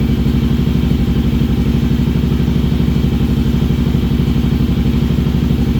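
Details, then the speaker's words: Kawasaki KLR 650 single after a wiring fix for constant power with the key off. Even, strong thumping at about three beats a second, with no knocks. It only runs on choke and needs rejetting after moving up 1,000 ft. Healthy; normal idle. "All right, it runs. Only runs with the choke, so obviously we gotta do some jetting because I went up 1,000 feet, but here you go. It's healthy."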